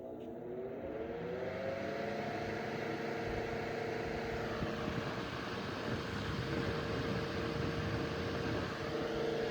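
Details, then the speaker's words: c.1915 Century Electric S2-10 10-inch oscillating desk fan, on high speed: steady motor hum with a clean motor whine and strong air rush; running normally and healthy. "Moves a lot of air. Um, for a 10 in. And it has that motor wine. I really like that."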